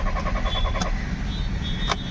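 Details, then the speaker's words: Audi Q3 diesel, sat parked two days, now cranks but won't start: starter turns the engine steadily with no firing or catching; diagnosed as a failed fuel pump, DTC P3073. "यहां पे self ले रहा है। But start नहीं हो रही। देख सकते हो आप लोग। क्रैंकिंग करता हूं मैं। क्रैंकिंग ले रहा है। स्टार्ट नहीं हो रही।"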